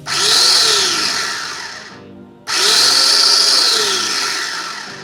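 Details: SX-685 chopper after replacing dinamo that sparked at carbon brushes and stator coil with burnt smell, new motor's dual switches modified: two clean bursts of high-pitched whir, each spinning up and down evenly with no rattle; healthy.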